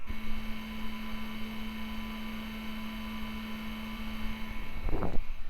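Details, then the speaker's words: IBM PC XT 5160 power supply fan, microphone close up on a windy day: steady low hum with one even tone, no grinding or ticking; fan bearing sounds perfect. "all it's missing is the hard drive sounds and as a side note that fan bearing sounds perfect"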